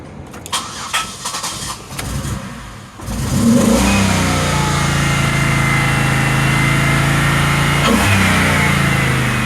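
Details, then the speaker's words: 2006 Pontiac Grand Prix V6 after new engine and transmission swap: cranks and settles into a lumpy, uneven idle misfire, car shaking; owner rules out throttle position, throttle body clicking; PCV valve had been left unplugged. "the heater's blowing nice really hot but it's just still [ __ ] misfiring it's not throttle position i can hear the throttle body clicking"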